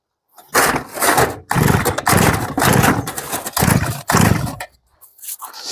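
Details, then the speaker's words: Genoa 3402 brush cutter, two-stroke engine, won't start on repeated recoil pulls: it spins over but never fires. Heavy fuel leakage around carburetor; throttle lever and cable need adjusting; carburetor cleaning planned. "시동이 잘 안 걸리네요. 일단은 그러면 악셀 레버도 좀 레버 케이블도 조정을 해야 될 것 같고 전체적으로 누유도 너무 심합니다. 시동이 안 걸리네요."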